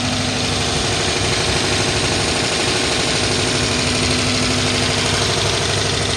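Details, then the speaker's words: 2011 Dodge Charger PPV 5.7 liter V8 at idle after about 30 minutes running, accelerator not responding; busy, uneven run with a steady tapping, clacking seemingly from the top, about three a second, plus a steady misfire, side unknown, unchanged since startup. "It almost sounds like it's coming from the top. Got a steady tapping, clacking noise."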